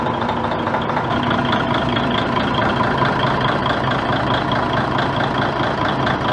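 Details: DAF XF95 truck diesel, 1.8 million km, rebuilt after overheating and heavy oil consumption, first start after refilling coolant and oil: steady even idle, no knocks or misses; healthy.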